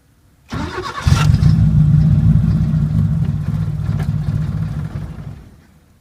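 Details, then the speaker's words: 1980 Chevy Luv, carbureted engine barely run in years, after fixing sight-glass fuel leak: catches, runs low and uneven about four seconds, sags away; rough idle. Carburetor not dirty; owner suspects electronic carburetor parts, will test fuses. "almost idling huh i think we've still got something going on electronic it's doing the same thing that carburetor is not dirty"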